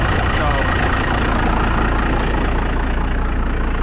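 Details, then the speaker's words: 12-valve diesel, about 60,000 miles, started after sitting two weeks with a broken throttle cable: deep, even idle rumble with a steady knock rhythm, no misses; runs good, some oil found in the turbo, not revved; normal idle. "So she runs good. She's low mileage for a diesel. This is super low mileage."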